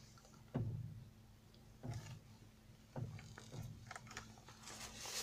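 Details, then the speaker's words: Kia Sportage, distinct single clunky clicks about once a second while the steering wheel is turned, heard from the cabin; front suspension noise, strut mount bearing suspected, unconfirmed. "şimdi direksiyonu çeviriyorum ve dikkatli dinleyin bir Tıkırtı sesi gelecek çeviriyoruz direksiyonu"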